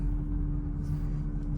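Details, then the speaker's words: 2004 Mercedes SL500 driving after its ABC suspension was converted to coilovers: a steady low drone and hum over road rumble. It is suspected to come from the fuel pump, and it seemed to follow the throttle, though that is doubted. "also there's a noticeable hum it has been coming from the fuel pump and it kind of is harmonious with um when I give it gas"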